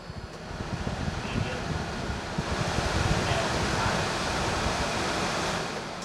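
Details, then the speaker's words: 2013 Ford F-450 ambulance, rear HVAC unit with the fan switched from off through low to high: a smooth airy rush that grows louder with each speed step and no rubbing, ticking or whine; normal blower operation. "Okay, so we've got our, you can probably hear it, we got our HVAC unit working."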